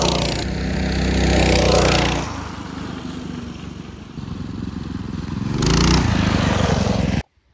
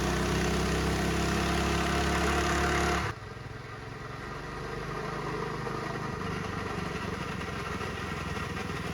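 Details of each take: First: Mini bike small engine after torque converter (CVT) kit install replacing the chain clutch and jackshaft: revs up, settles and revs again with a smooth drone and no chain or clutch rattle; quieter, faster, normal running. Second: Mini bike small engine with chain clutch and jackshaft, before torque converter (CVT) kit install: busy metallic clatter over the idle, then it drops off; the clutch and jackshaft chain rattle loudly.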